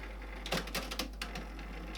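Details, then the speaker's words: Used cassette deck on tape 1 input of a Marantz PM-30 amplifier, on reverse after it stopped unexpectedly on fast forward: irregular clicks and clattering bursts from the tape mechanism; transport rattling and misbehaving, tape itself possibly at fault. "I hope that's the tape. Reverse. Weird noises. Okay. That's not good."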